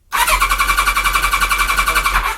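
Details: Kawasaki ZZR1100 (ZX-11) with a newly fitted Ignitech standalone programmable ignition, cranking. Steady fast starter whirr with even compression pulses and no firing; cranks but will not start.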